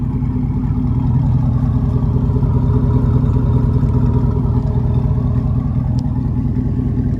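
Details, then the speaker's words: LQ9 6.0 V8-swapped crew cab cateye truck at warm idle: steady, lumpy burble with a faint puffing tick on the beat. There are a couple of exhaust leaks, one at a joint that was brazed rather than welded. "So I I do have a couple exhaust leaks on it. I have a leak right here cuz the previous guy instead of welding it, he braced it."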